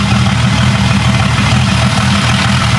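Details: Jeep 5.0 stroker build (stage cam, stroker, different compression) with longer pushrods, running through cam break-in: Steady, even, low idle rumble with no ticking or tapping; valvetrain sounds healthy.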